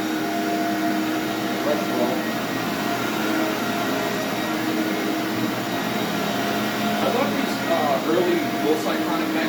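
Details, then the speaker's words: SC Johnson Vectron (Iona) vacuum with roughly 20-year-old motor and beater-bar brush roll: steady motor hum with a rough whirr from the brush roll; motor sounds good, owner suspects brush roll bearings. "Motor sounds good winding down, but there's definitely some noise coming from the brush roller. Might just be the bearings."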